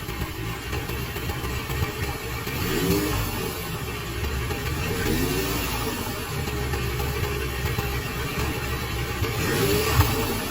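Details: Hot 4-cylinder QJMotor Sai 600 motorcycle engine at 4,000 km, idling with a few revs: a deep rough knock under the exhaust note from severe crankshaft bearing wear (exposed copper), fixed with Daido shell bearings.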